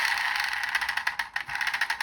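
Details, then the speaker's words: Fast Fingers handheld electronic game, with its control wheel turned by hand: light, fast, uneven high-pitched plastic clicking and rattling, which it is not supposed to make. The control wheel is loose inside and does not work properly. "you can hear this kind of rattling uh it's not supposed to do that"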